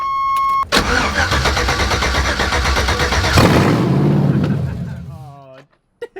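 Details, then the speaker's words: 1987 Chevy S10 with LS swap, open headers, restarted after sitting six months; earlier it idled very high. Quick crank, a loud catch, then revs fall smoothly to a steady idle around 900 rpm; normal idle. "that is so loud it's literally at 900 rpm dude she's been dead for like six months just sitting and it idles down so fast and properly god it's beautiful"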